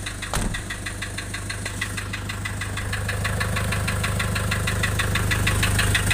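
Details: Nissan Urvan Estate with ZD30 (E25) diesel at idle: clatter with a rocking, uneven beat and an occasional heavier pulse; rough idle with white smoke from compression loss.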